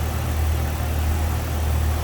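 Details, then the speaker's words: 1997 Jeep Wrangler Sport 4x4 six idling with the hood open over a very clean engine bay: steady, even low rumble with no knocks, ticks or misses; sounds good. "Sounds good, looks good underneath there."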